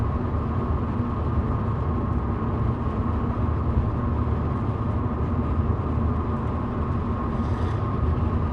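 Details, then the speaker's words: 1966 Ford Mustang on rough mountain roads: a steady ~250 Hz ring over road rumble that never changes with road or engine speed and stops on smoother pavement. Suspected Monte Carlo bar ringing from road vibration. "can you hear that resonance 250 Hertz yeah uh I think it's the money Carlo bar ringing uh being set off by Road vibration it's always the same note uh doesn't change with Road speed engine speed or any of that"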